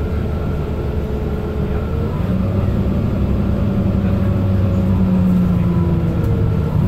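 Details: Mercedes-Benz Citaro O530 LE bus, OM457hLA 12-litre Euro 5 diesel (299 hp), ZF Ecolife 6AP1700B automatic with overdrive, 12,450 kg: a clear whining tone climbing in pitch as it pulls away under engine rumble; the fleet's only noisy Ecolife gearbox.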